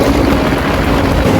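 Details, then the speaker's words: Hatari AC Classic1 evaporative air cooler at speed 4, before repair: loud steady rushing roar with rough rumbling, growing louder with each speed. "ก็ดังขึ้นเรื่อยๆนะครับส3นะครับก็สบีที่4นะครับนี้เสียงดังมากๆเลย"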